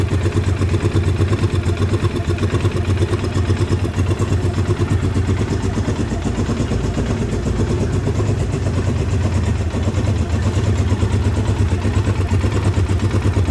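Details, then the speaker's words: 2009 Polaris Sportsman 800, sat about six months, came in not running with a bad fuel pump; now running with fuel injection cleaner added: steady low drone with uneven, lumpy idle pulse; running rough but coming back. "she's not real happy but she's coming back i do have some fuel injection cleaner in her now"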